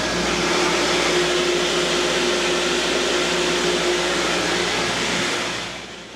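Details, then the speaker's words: Hand-primed water pump feeding the irrigation line, set to run about 15 hours: a steady, even hiss of rushing water with no surging, reading 45 PSI, the highest in a long time. Normal flow at good pressure. "It looks like 45 PSI, which is the highest I've seen it in forever."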